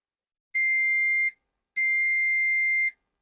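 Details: BMW K100 that won't start and is over-fuelling, testing the throttle idle switch: two clean multimeter continuity beeps showing the contact closes at idle, with continuity lost once the throttle comes off idle.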